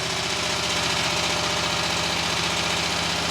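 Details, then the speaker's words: Kohler mower engine after flywheel broken-teeth hack with donor parts and new ignition coils, choke pulled: starts and thumps evenly at steady speed, no misses; repair working. "It's working! It's working!"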